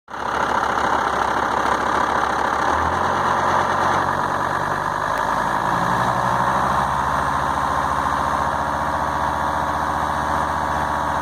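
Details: Volvo S80 with the D5252T diesel: idles unevenly, its low drone wavering instead of holding one steady note; rough idle.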